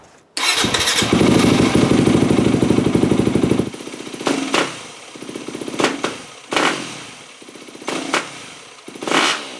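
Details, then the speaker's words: 2008 Yamaha WR250F after carb rebuild, 45 pilot jet, fuel screw about 1 turn out: starts and idles steadily, hanging idle fixed, but quick throttle blips swell then sag and recover slowly; off-idle bog. "However, it's still bogging. Now we got to figure out if it's a rich bog or a lean bog."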